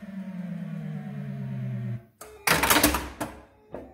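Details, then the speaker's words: Gottlieb Haunted House pinball after replacing the bad pre-driver transistor that had locked on the five-bank drop target coil: game tune, then quick clunks as the target bank resets, no buzzing lock-on; reset works normally. "okay i saw the drop target bank uh reset there so let's see if the fuse were to blow i mean the good news is i don't hear it lock on anymore"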